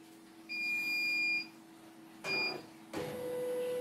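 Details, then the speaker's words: CNY embroidery machine that was totally jammed, powered on for testing: two steady high beeps, short pause, faint running hum; normal power-on and calibration on both, though an error appeared afterwards. "normal. Oke, normal. Kalibrasi normal dua-duanya."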